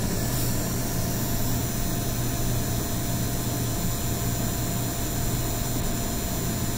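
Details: NVIDIA RTX 3080 Founders Edition, day one, Corsair RM850X PSU with two separate cables, while gaming at high GPU utilization: fan rush with loud electrical buzz and thin high tones; coil whine, reduced by limiting framerate and disabling DSR.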